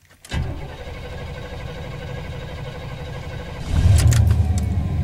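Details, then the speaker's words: 1993 Chevy Silverado fuel-injected, intermittent hard start worsening, check engine light stays on: about 3.5 seconds of steady cranking before it catches once oil pressure builds; owner suspects fuel pump relay, not confirmed. "you notice it cranked up once it got oil pressure that's a big clue also we have a check engine light on and it's staying on whenever it does this"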